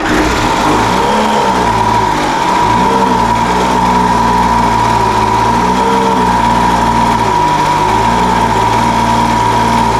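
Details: Older Craftsman 200mph two-stroke blower, sat unknown time, restarted after the high-speed mixture was opened slightly: note hunts and wavers up and down, then evens out. Carburetor high-speed mixture erratic, still settling after sitting.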